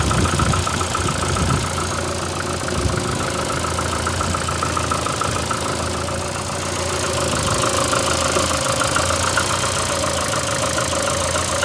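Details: VAZ 2115 8-valve at idle: loose irregular knocking with a faint scraping rub beneath, uneven running. Started after cylinder-1 head gasket blew a week ago; jerks briefly while driving, check-engine light on. Cause not yet clear.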